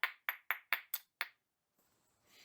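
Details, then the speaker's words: Copper pipe bowl (ring dish) late in forming with a hammer, where tone changes over solid versus hollow support. Six quick blows, each leaving a bright, clear ring that dies away; the copper has work-hardened, and overworking it risks cracking. "the thing about this is you don't want to have your piece of copper be super soft when you're done with it. But you also don't want to work it so hard that you crack it."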